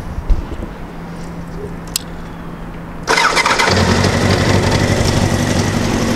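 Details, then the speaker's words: 1988 Honda CBR1000F Hurricane starting after a pause and idling with a light metallic rattle: cam chain tensioner noise only at idle, gone by about 2,500 rpm; a harmless nuisance, left unrepaired. "You'll notice that the sound goes away with some RPMs. So it's purely at idle. When you're operating it, it's not slapping around, not doing anything unusual. Rather common for Hondas to have some cam chain noise."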